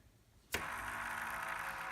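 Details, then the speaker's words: NZXT AER RGB 140 case fan spun by hand: a dry, scratchy rasp from a bad bearing, unlike the quiet rear fan. "okay here is a video which is just me spinning the fan with my finger and it makes that noise"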